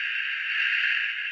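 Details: BITX40 transceiver rebuild, oscillators at 18.2 working but no audio, owner suspects a bad connection: a steady, harsh upper-range hiss bursts loudly from the speaker with no signal behind it; cause not confirmed.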